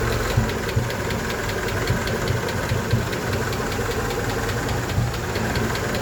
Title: help me ticking noise honda 88